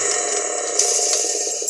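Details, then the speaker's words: Dayton single-phase lathe motor running before its rebuild: a brief light metallic rattle over the motor hum as the centrifugal clutch that switches the start capacitor drops in and out. This is normal, and the bearings sound fine. "it makes that noise when the actual uh the capacitor goes back in the star capacitor um or I mean the the centrifugal clutch that actually activates this part of the star capacitor"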